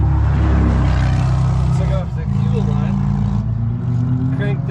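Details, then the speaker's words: Car with a brand-new Delphi fuel pump and rebuilt carburetor that quit 10 minutes into a test drive: the engine cranks with a steady starter churn at about four pulses a second and never catches, zero fuel pressure even fed straight from the tank; failed new fuel pump. "Crank that thing and I still have zero fuel pressure so you remember my video where I said hey I would choose this DUI fuel pump because look at how great it is it didn't even make"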